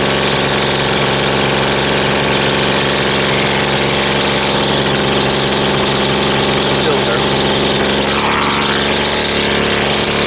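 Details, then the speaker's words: Husqvarna two-stroke string trimmer restarted after running only on choke: loud, uneven buzz that never settles into a steady idle and dips near the end; high/low mixture settings and idle off, rough unstable idle. "let's uh let's start it back up because it's obviously got problems with the uh high and low settings and the uh idle is not right not right for sure"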